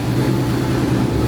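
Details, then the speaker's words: 1954 Chevy V8 fires right up and settles into a steady, even low rumble with no misses or knocks after a no-start caused by an unplugged distributor; fuel pumps had been primed. Normal healthy idle. "fired right up fired right [Music] up well that was an easy fix"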